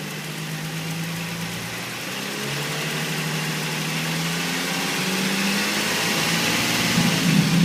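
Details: 2005 Nissan 350Z at idle: light, quick tick about four per second over the engine note, seemingly from below the intake manifold; owner suspects injectors or hydraulic lifters, unconfirmed.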